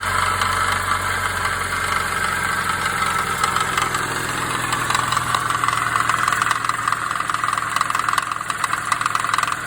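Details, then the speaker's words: 2017 Subaru BRZ at 43k miles, idling: fast, light knocking rattle from three failed pulley bearings on the belt tensioner and idler pulleys at the front of the longitudinal engine. "that sound you just heard was three of my pulley bearings that have failed"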